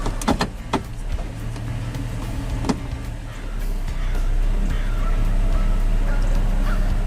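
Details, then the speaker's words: 2000 Toyota Tundra SR5 4WD 4.7L, no engine light, idling in gear while warming up: very slow, low, lumpy idle close to stalling; idle drops as it heats, caused by a dirty throttle body venturi. "now my foot's off of it but as it heats up the idle will drop"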